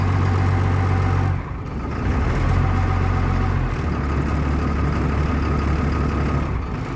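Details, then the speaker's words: Bus unstarted for about two and a half to three weeks, after waiting for the glow light: fires with throttle raised, then holds an even steady rumble around 700 rpm warming up; normal running after cold start. "we're gonna keep our rate around seven i'm gonna let it run while i'm working on on a truck now that warm up some"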